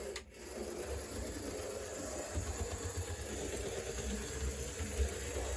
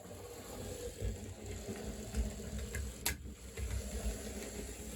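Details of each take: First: HO scale model F unit locomotive, unused for some time and running a little slow: small motor whirring with a faint, steady light clicking; slight drive clicking, not too bad, cause unconfirmed (owner wonders if it needs more break-in). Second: Fleischmann HO scale switcher tested after new traction tires, running as it did when acquired: low, busy gear whir with scattered light clicks and rattles at a steady pace; a little noisy but normal drive.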